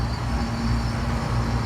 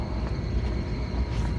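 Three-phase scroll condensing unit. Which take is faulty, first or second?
second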